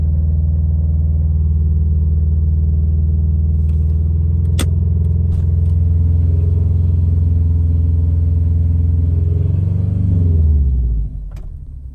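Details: 2015 Subaru STI, about 2,000 miles since noise began after an oil change, Rotella T6 5W40, stage 2 tune with catless downpipe and ported manifold: idle rumble with faint fast rattle until shutoff, cause unknown.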